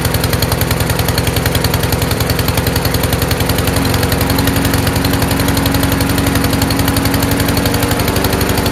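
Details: Troy-Bilt TB240 self-propelled mower, Honda engine, after carburetor cleaning: runs lumpy and choked, popping about four times a second; automatic choke stuck closed, rich running and backfire until it opens.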